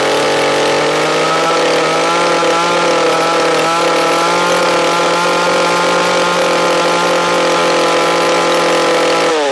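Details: Echo CS-341 chainsaw carburetor tuning: hard, steady high-pitched scream held at wide open throttle that drops off at the end while the high-speed mixture screw is set.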